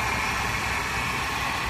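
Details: Mercedes-Benz C280 W204 six-cylinder at idle: steady idle with a constant high-pitched whine riding over the engine that doesn't change; the engine is noisy from a bad belt tensioner.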